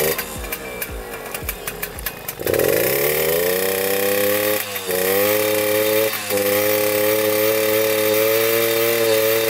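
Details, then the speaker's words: Suzuki JR50 two-stroke after exhaust pipe decarboning cured its bogging; after some clatter it picks up and revs out clean and steady without bogging, running properly. "as you can hear it revs out which is really good so we got that fixed"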